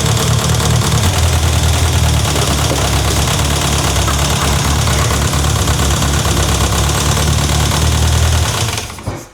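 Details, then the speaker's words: Renault 5 GT Turbo first run in five years after a turbo rebuild: loud, fast tapping over a rough idle, not heard before; valves touching pistons questioned, cause unknown. "That's not valve kissing pistons, is it? It's quite tappy, isn't it? That sounds horrible."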